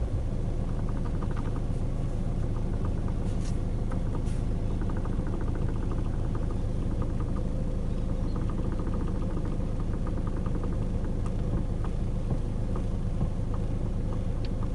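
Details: 2012 Hyundai i40 steering clicking, steering coupler already replaced: faint, fairly steady light ticking a bit over two per second above engine rumble; noise persists, cause unknown.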